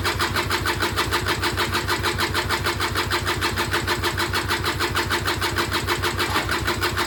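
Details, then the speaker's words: Auction-bought Peugeot Speedfight 2 100cc two-stroke scooter with Leo Vinci exhaust, first start attempt: steady fast starter whirr, engine turns over but never fires; spark confirmed, carburettor slow to fill, cause still unknown. "No, nothing again."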